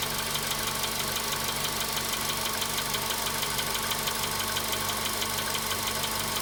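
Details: VW Polo Sedan at 93,000 km, cold-start idle: a sharp, regular knock about twice a second over the steady engine note; an engine knock whose cause is not yet found.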